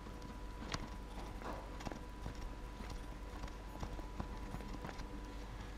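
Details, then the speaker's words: Mercedes Sprinter 313, front wheel raised and rocked by hand: irregular dull knocks from a worn shock absorber, not the hub; the other side with a good shock is silent; shock and lower mount replaced. "То есть это непосредственно амортизатор, это не ступица, то есть это ничего."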